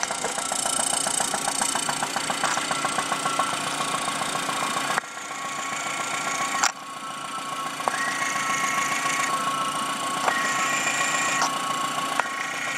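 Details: 1997 Saturn SC2 at idle, thin tinny sound with quick regular tapping knock about three to four a second heard up close; began six weeks after purchase right after high RPM, cause unconfirmed.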